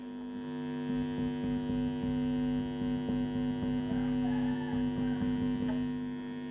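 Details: MD221 tone control board with subwoofer in an acrylic box: a constant low steady hum with stacked tones and no response to touching the input; hum possibly from poor grounding or wiring.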